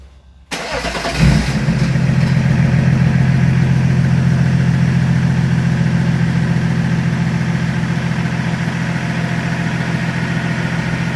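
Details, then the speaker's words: BMW E36 Compact with replacement M57 diesel swapped in for the 240k-mile valve-floating engine, first start after refitting intercooler pipes and coolant: brief crank, catches at once, settles to a steady, even, smooth low-rumble idle; sounds healthy. "Sounds alright. I let it run for a couple of minutes before I give it a rev."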